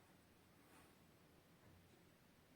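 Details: Xiaomi Mi router imported from China, after swapping its power supply for a new 12 V universal adapter (100–220 V; 3–3.5 A advised); near silence with faint room hush, no buzz or chiadinho, normal quiet operation.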